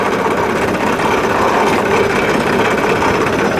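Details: Mower after blades were refitted and greased, test run: busy, even engine clatter at steady speed with blades turning, no knocks or squeals or funny noises; runs normally.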